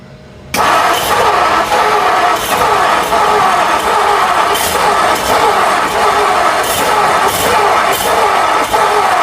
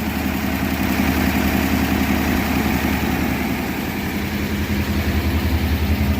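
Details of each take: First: 1957 Ford Thunderbird, 312 Y-block V8 off the road 35 years, cold with choke closed and battery charger on: starter churns about one beat a second without catching while leaking fuel; owner suspects it isn't getting enough fuel. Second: 1957 Ford Thunderbird, 312 Y-block V8 revived after 35 years off the road, first run after transmission fluid in the cylinders: even steady V8 burble at idle with regular low pulse and no knocks or misses.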